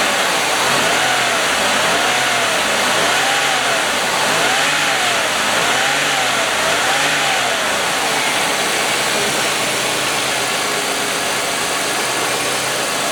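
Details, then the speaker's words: 1995 Oldsmobile 88, 3800 Series II V6, after a $20 junkyard module fixed the no-fuel-injection no-start: a steady, even idle with no stumble or knock; running as it should, with a timing chain still due. "like the sound of a 3,800 running as it should"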